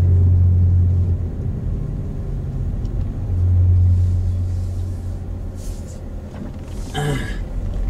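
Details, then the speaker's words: 2005 Toyota Matrix AWD, camera in back near suspect corner while driving: low airplane-like howl over road rumble rising and fading with speed; owner suspects rear wheel bearing (passenger or driver side), already replaced both bearings once, unconfirmed. "well i bought a bearing for it because i thought it was a wheel bearing i guess you can hear it and the plane was howling like an airplane in the back you can hear that"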